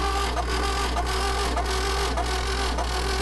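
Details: Classic VW Beetle engine cranked during compression test: steady, even starter cranking with regular compression pulses, no skips; cylinders read about 120–140 psi, within 10–15 psi of each other, healthy compression.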